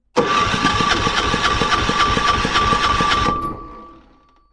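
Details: Kipor 6700TA diesel generator, Yanmar L100 (186F) engine, non-running: steady cranking about three to four beats a second for three seconds, then winds down without catching; decompression lever works, cause unknown.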